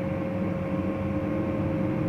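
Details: Lakoni 120e welding machine after repair of total failure (fan not spinning, no output); fan supply measured 26 V, output 58 V: steady hum with smooth fan whirr, no rattle or scrape; cooling fan running normally.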